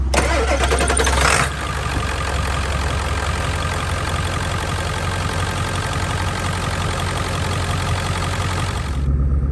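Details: Cold morning, a reference start of the owner's own Excursion for comparison with a 7.3L Powerstroke F550 that was parked running rough: a short, quick crank, then it fires right up and settles into a steady, even diesel clatter. A healthy start.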